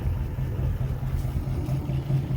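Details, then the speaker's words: 1955 Ford, about 65 years old, after replacing a bad spark plug wire that caused a misfire: deep, even low idle rumble with no skips, running smoothly on all cylinders; cranked right up without choke, misfire fixed. "so if it ain't you know skipping no more it should crank right up without pulling a choke oh yeah that's it no more skipping"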